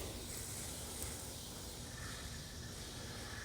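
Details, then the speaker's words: Rain Bird sprinkler valve on zone one after shorted solenoid replaced, following Orbit WiFi controller Station 1 fault; test run gives steady, even water spray hiss with no sputter, zone working normally. "there it goes and i can see zone one is now on and working as it should this is all zone one this front yard"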